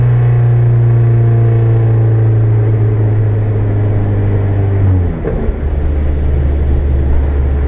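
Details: KA24DET turbo with 62-1 turbo at 7 psi, second-to-third gear pull, shift near five seconds: hard pull with a rough raspy edge from an exhaust leak.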